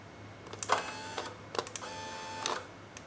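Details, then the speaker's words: Quantum 4front 1 power wheelchair converted to R-Net electronics with seating module: after another auto-detect, quiet clicks then short steady whirring of the seat tilt actuator, detected when connected (accidentally plugged into tilt port), driving normally. "this thing can detect when an actuator is connected. Look, it works. Hear it? See, look. We're tilting."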